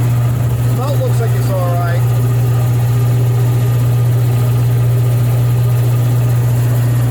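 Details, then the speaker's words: Old air compressor after servicing (pump lubed, head bolts checked tight, makeshift air filter cleaned): steady, even motor hum with no belt slapping or knocking; runs smoother and sounds healthier. "sounds better sounds happier"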